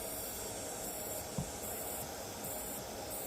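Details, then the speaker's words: DIY hookah dive compressor (secondhand, 150 psi max, 70 L/min) being vacuum-tested by pulling air through the intake: steady even hiss with no rhythm, air drawn through a small gap; air leak in seal. "so at the start there was like a tiny Gap there plug that and now I can hear one coming from in between the cables so it's pulling it inside the heat s"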